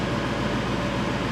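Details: 1999 Chevrolet Suburban 5.7 V8 warming up after distributor gear replacement: even, steady idle with no skips; original complaint was misfire at idle, possibly fixed by the repair; fuel trims look good.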